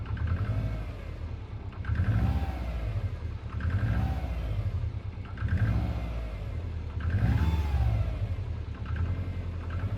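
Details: Subaru Impreza WRX GC8, EJ20G turbo engine revved in repeated pulls about every two seconds, a knock riding on each rise in revs; knocking for three years, others blame forged pistons, owner suspects a connecting rod. Unconfirmed.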